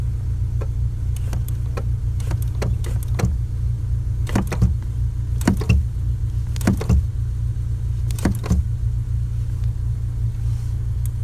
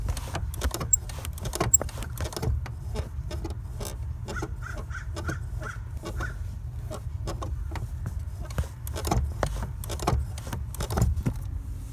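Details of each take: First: 2008 Honda Civic Si with Exedy Stage 1 clutch and light flywheel: car idles as the clutch pedal is pressed and released in short bursts, no squeak after spraying lube on the pedal. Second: 2008 Honda Civic Si with Exedy Stage 1 clutch and light flywheel, engine idling: the dry clutch pedal pivot gives short creaky squeaks and clicks as the pedal is pressed. The pedal also squeaks while driving.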